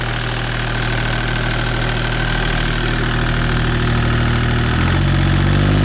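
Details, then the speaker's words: Deutz 2009L03 (2009L3) German 3-cylinder direct-injected diesel on a test stand, cold start after sitting indoors at about 52°F, glow plugs used; even clatter at steady cold idle, regular beat about 3.5 per second, speed rising slightly, seems to run pretty good. "So it seems to run pretty good. In a second video, I'll post it running and showing that it sounds good when it's warm."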